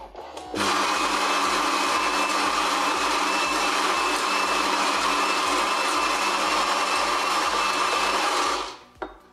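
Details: Saeco Incanto HD8911/09 espresso machine after burnt-electronics repair and reassembly, descaled, test-brewing coffee: about eight seconds of even, high-pitched grinding whir starting and stopping cleanly, no stalling or rattle; grinder healthy.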